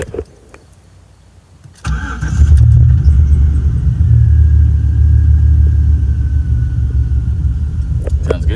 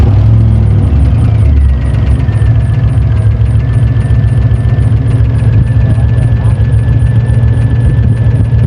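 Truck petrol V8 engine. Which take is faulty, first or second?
second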